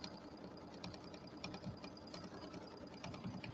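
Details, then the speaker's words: Embroidery machine stitching a pillow tack-down: steady stitching with small irregular popping sounds indicating a worn needle needing replacement. "so I might just change my needle real quick since we're talking about needles I'll do this real quick because I can hear this like can you hear that little popping sound that usually means that you need a needle"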